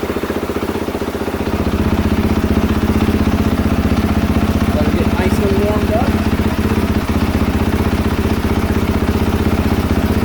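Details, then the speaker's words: 2022 KTM 450 SXF after transmission repair, first heat cycle with coolant, no choke, cold idling while warming up: fast even single-cylinder thumping, no misses, knocks or rattles; healthy. "I'm just going to let her sit here and idle for a little bit and get some temperature in her"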